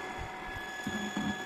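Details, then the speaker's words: Water pump running after disassembly and reassembly: steady even motor hum with a thin constant whine, no grinding or rattle; smooth, assembly successful. "jangan sampai ada suara berisiknya ini artinya sudah mulus ya suaranya berhasil"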